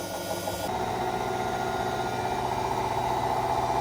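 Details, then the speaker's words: Hotpoint Aqualtis washing machine after a drum replacement for failed bearings: empty drum spins with an even hum and soft rhythmic sway about four times a second, the belt holding, no knocking or scraping; normal spin. "the belt is holding machines oscillating a little but that's what i'd expect but it's got no it's got no load in it so"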